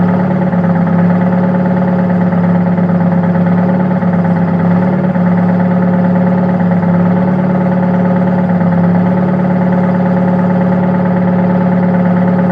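Idle carries an uneven, stumbling beat instead of a smooth steady hum, a sign of a misfire at idle.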